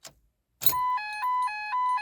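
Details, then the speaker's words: Ford Focus Mk2 (code U0001), key turned: clean electronic chime pulsing about every half second with no cranking, engine malfunction message, immobilizer light blinking, all warning lights on; won't start. "So here it is. You hear the beep and it says engine malfunction and the immobil immobilizer is blinking and then uh you just won't be able to start a car."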